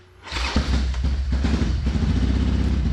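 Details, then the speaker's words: 2007 Harley-Davidson Sportster 1200 fuel-injected: lumpy loping idle with missing beats, only one cylinder running; stethoscope shows front injector not clicking. "definitely one cylinder only running and it is fun to try and hold the stethoscope and the camera on an exciting but uh the end result is the front injector don't work"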